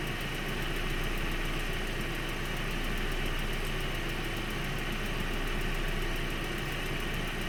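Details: 1.8T engine at steady idle with a light, quick ticking of about three per second before a few revs; ticking source undetermined. Engine ticking.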